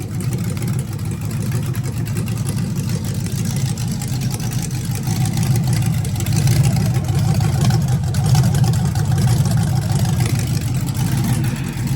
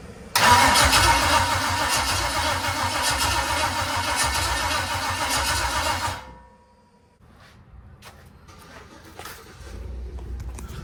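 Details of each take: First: V8 in NBS single-cab truck build with Holley ECU, first start: steady even low rumble at fast idle, no knocks or ticks; converter not hooked up, transmission spun and spilled fluid, so run kept short. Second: NBS single-cab truck build with Holley ECU, first test fire: starter turns slowly, about 100 rpm, roughly four beats a second for six seconds, no catch; owner suspects low battery, plans lowering Holley start RPM.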